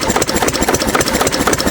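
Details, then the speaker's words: 6 HP Witte diesel, revived after 30 years with valve work, oil change, fuel-system cleaning; governor spring removed, so running about 300–400 RPM versus roughly 750 rated; slow, even thumping, low but steady and healthy, little smoke; normal slow idle. "Right now it's probably only doing 300 350 RPM maybe four. So really significantly less."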